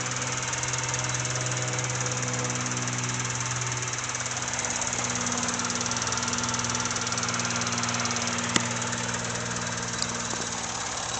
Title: Honda Civic Seafoam Exhaust Leak